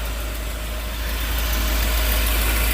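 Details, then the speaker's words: Volvo 740 idling after new belts, oil filter, full new exhaust and new fuel pump: steady even idle, only soft fan whoosh audible, no knocks, ticks or exhaust leaks; sounding much nicer. "But it's uh sounding a lot nicer. Sounds like a Volvo again where all you can hear is the fan."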